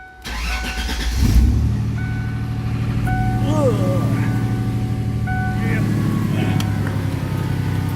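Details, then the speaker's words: 1996 Ford Mustang after fitting dual exhaust from a 1997 and fresh oil change: quick start, then deep, steady exhaust rumble at idle with no misfire or ticking; healthy engine and exhaust. "Yeah. Sounds really good, huh? I'm happy."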